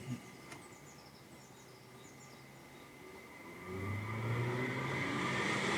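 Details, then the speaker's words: Custom electric heater blower fitted in a 1994 Piaggio Vespacar P2 three-wheeler, powered up inside the car. Quiet cabin, then the fan spins up into a strong, steady rushing hum that blows really hard. Normal blower fan operation. "So yeah, that blows really hard. And here's the switch for the heat."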